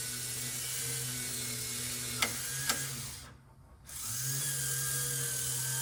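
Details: Power antenna for 1965-66 Thunderbird / 1961-64 Cadillac, tested up and down after reassembly with new crimped antenna-wire connector and ground: steady high motor whir up, brief pause, back down with light end clicks; normal operation.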